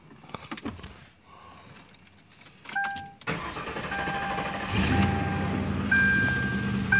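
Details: 2005 Ford Crown Victoria P71 that stalled while driving with multiple codes, after the fix and reattaching a loose negative battery terminal: brief crank, fires in about three seconds to a smooth idle under dash chimes; clean start, no check engine light.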